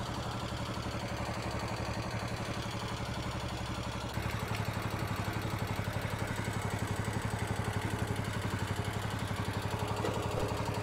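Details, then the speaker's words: Kohler K-series single-cylinder engine on Cub Cadet 149, warmed a few minutes, throttle raised: steady beat with light metallic chatter rising with rpm; top-end valve clatter, intake valve found short on clearance, seats possibly worn. "now the chatter is still there i don't know how you'll be able to hear it or not definitely increases with rpm"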